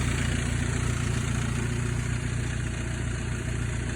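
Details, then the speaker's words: Mercedes-Benz W201 190E 2.3L after replacing a cheap fuel pump that failed within a day with a Bosch one: steady, even low idle with no misses; the new pump is quieter and the no-start is fixed. "Went with this. It's a lot quieter than this junk, and the car is back on the road."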